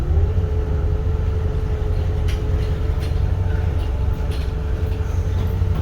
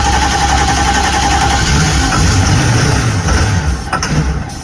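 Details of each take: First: 1973 Holiday Mansion houseboat engine on its maiden voyage, backing out of the marina: a deep, even rumble with a steady mid hum and one brief thump, no ticking or stumble. The engine runs clean, normal running under way. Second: 1973 Holiday Mansion houseboat engine runs low and lumpy, sagging and faltering, only while fed starting spray; not getting fuel, no fuel supply.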